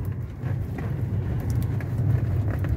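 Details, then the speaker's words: 2014 Peugeot 308 1.6 manual, 79,000 km, road test after replacing front shock absorbers, shock mounts and stabilizer links: only tyre and road rumble, no knocks or clunks; previously heavy front suspension banging now gone. "travamente carro batia tudo galera tudo tá ficava um barulho absurdo na suspensão dianteira meu ficou show não ouvi nada tranquilo tá"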